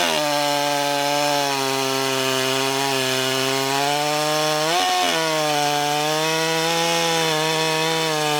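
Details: Husqvarna 394XP chainsaw, freshly rebuilt and ported, first shakedown runs cutting a large log: high, steady two-stroke scream holds pitch through the cut with only a brief dip, no bogging. Healthy and strong; good compression; the low jet may be leaned slightly and the top end richened.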